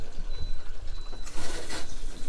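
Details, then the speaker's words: Newly installed Viqua IHS-12 D4 UV water purification system with pre-filters, plugged back in during the water-fill test: two short high beeps about half a second apart over rushing water; owner unsure why it beeps. "going to turn that one on still beeping not sure why but you can hear it now"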